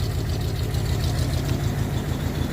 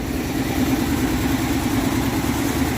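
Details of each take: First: 1962 Dodge D200, 318 Poly V8, unrun since about 2013, oil poured down the cylinders, just revived: low lumpy idle with uneven chugging beat and faint knock; runs but rough, will smoke. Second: 1962 Dodge D200, 318 Poly V8, off road since about 2013, revived: steady even idle with smooth low burble and no misfire; plug looked better, runs pretty good.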